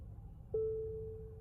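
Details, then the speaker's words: 2023 Nissan Pathfinder on first start: a steady, clear whine near 450 Hz begins abruptly over the rumble. It is traced to the fuel pump and audible outside near its location. "Okay, so that whining sound is coming from the fuel pump, and if you come out, you can hear it somewhere around this area."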